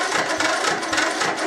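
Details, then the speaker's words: Mower unused for a year, lead-acid battery recovered after 24 hours charging with one bad cell: thin labouring starter whir turning the engine without catching; battery too weak to start, needed a jump. "Yeah, I'm going to have to to jump it to start it, but hey, it did crank. So we did make some headway, even with one bad cell."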